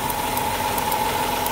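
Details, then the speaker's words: First-generation Chrysler Pacifica 3.5 L, in for a coolant leak: uneven idle with irregular stumbles and sharp ticks over a steady whine. A misfire from a bad ignition coil arcing to ground, not from overheating. "it's got a bad coil you hear it that's a bad coil so this thing's misfiring and it's not because of an overheat that's a bad coil"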